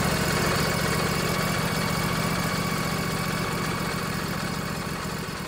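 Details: Craftsman DYS 4500 riding mower, Briggs & Stratton 24 hp twin-cylinder Intek, after the choke was applied following a storage no-start. It runs on its own with a steady, fairly even pulse of about four beats a second. Normal running.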